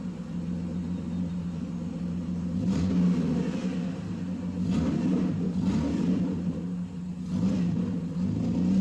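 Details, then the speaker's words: Mercedes first run after 13 years, belt removed, idle settled at 650 rpm: low, even rumble with no misses, knocks or ticks; normal idle. "It just idled down. It's at 650 RPM right now. It just idled down."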